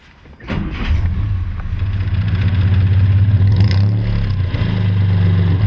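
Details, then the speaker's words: 1951 Studebaker Champion, engine revamped with owner-built headers and complete dual exhaust: fires after half a second, settles into deep steady even burble, no misses or knocks. Normal idle. "Wow, what a sound. As Bill said, you have never heard a champion sound like it, and he was absolutely right. It fires into life with a presence that it's impossible to ignore."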